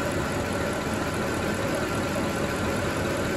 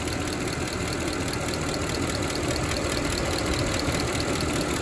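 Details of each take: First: Mercedes ML63 AMG M156 V8 after oil change: smooth, steady idle with no top-end ticking; earlier lifter noise, blamed on low oil, gone immediately. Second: Mercedes ML63 AMG M156 V8, head bolts, lifters and cam adjusters done about 121,000 miles: light quick lifter tick from driver's-side bank over steady idle, before oil change with Ceratec additive; valve train tick at idle.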